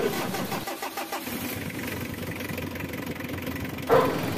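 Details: Mitsubishi L300 diesel, owner complained of morning-start and air-con noise; after idler bearing nut tightened and belt adjustment checked, engine cranks, catches and runs steadily with no belt squeal or chirp.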